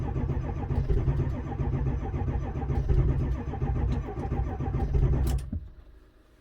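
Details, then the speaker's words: 2002 Ford F-350 7.3 diesel, towed in as a crank-no-start, key cycled for glow plugs, lift pump running, oil pressure present, reading 2300, batteries drained: steady cranking at about 3.5 beats per second with no catch; no start caused by a failed cam sensor. "can hear the lift pump running we got oil pressure we've got 2300 trying to start"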